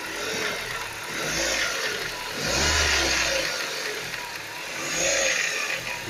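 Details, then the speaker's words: Ford Focus 1.6 8-valve engine rattling like rolling pebbles, rising with revs; no sound under load, rattle starts off throttle. Unchanged after replacing the lifters and chain tensioner, with the chain fine; owner suspects piston pins or piston slap. "я думаю что все таки это связано с поршневой группы может быть или пальчики бракуют либо пашня колотится под нагрузкой звука нету как газ отпустила начинается такое дребезжание"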